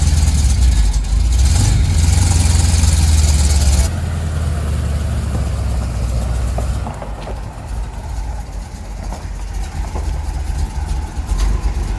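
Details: 1975 Chevrolet C10 under rebuild, after reconnecting the vacuum advance line that had been unplugged and causing backfires. Steady low idle rumble with even firing and no pops or backfires through the exhaust. Runs right.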